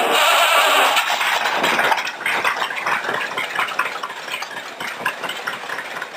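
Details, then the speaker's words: Rat rod roadster engine with a cleaned, reworked part originally off a Rambler: loud catch settling into an even steady idle with a light regular pulse, no knocking or misses; owner next considering timing chain. "the thing cranks up and runs I think quite quite good right now for for where it's at"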